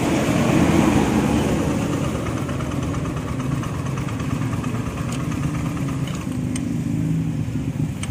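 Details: Old Honda Beat FI scooter that smoked, burned oil, sounded rough and started hard, now at idle after new piston rings are fitted; an even, quick idle patter with no knocking, a few light clicks in the background. The idle is now normal.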